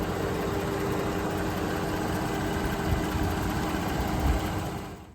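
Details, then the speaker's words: 2014 Dodge Charger 3.6 Pentastar at idle, tick traced with a mechanic's stethoscope to the front valve train: a light, fast tick of about 220 per minute over a steady idle. Owner is fairly sure it is a rocker arm; not confirmed. "and when you put the stethoscope right here, you can clearly hear it somewhere up in this front valve train. Now, I saw the rocker arms go bad a lot on these cars, so I'm pretty sure that's what it is."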